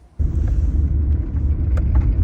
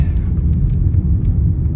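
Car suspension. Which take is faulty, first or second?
first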